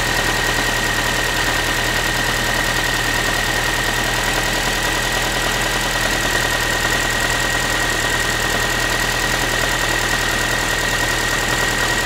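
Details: Ford Focus 3 1.6 (125 hp) after a cold start: steady idle with a light, tinny, pan-like tapping about three per second; metallic knock, source unknown.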